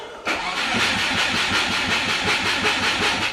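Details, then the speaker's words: Turbo Subaru with DIY exhaust manifold, running rich on startup after a massive exhaust leak: steady starter cranking at about three beats a second that never catches; spark plugs wet and fouled. "So when I start it up and we had the massive exhaust leak before, we have 100% failed all the plugs"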